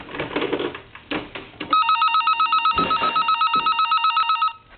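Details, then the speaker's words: Vintage Siemens Milano telephone with an electronic ringer element soldered in instead of a bell: a shrill warbling trill, about four chirps a second for three seconds, with no bell clang. "okay and as you can see that doesn't do the telephone any justice"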